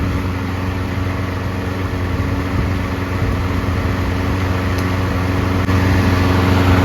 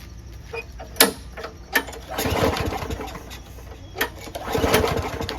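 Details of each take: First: Single-cylinder lawnmower run 3 to 5 minutes on fresh fuel: an even, steady buzz with no surging or stumbling. Fresh fuel through the circuits has smoothed it out, and it runs smooth. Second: Lawnmower after winter storage, very little gas in the tank, no air filter, primer works: several pull-cord yanks with raspy turnovers that never catch. Ethanol-gummed fuel is blamed for a clogged carburetor jet.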